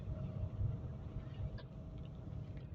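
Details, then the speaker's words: Car driving after idle speed control (ISC) valve replaced: soft, low, even rumble, quiet and smooth with no surging or hunting, no longer revving high; normal engine running. "Suaranya halus sekali. Dipakai jadi nyaman. Mobil ini gak berisik mesinnya jadi halus gitu loh, kayak lembut."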